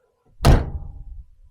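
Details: 1993 Mazda Miata door, gentle close before new door hinge bushings fitted: a single dull thud with a short low rattle, a loose clunk suggesting worn bushings; suspected, not confirmed.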